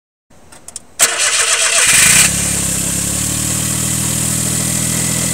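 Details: 2000 Daihatsu Mira Gino Turbo, EF-DET engine, engine swapped once, cold start. The engine catches and settles to idle with a loud hissing rattle on top that occurs only until the engine warms up; cause unknown.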